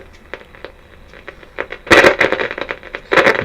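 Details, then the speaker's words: 1957 Bush VHF64 valve radio, part-way through capacitor replacement: irregular sharp crackles and pops over faint hiss with louder rough bursts on medium wave; phono input quiet; crackling on reception. "so if I put it on long ways we have crackling medium wave"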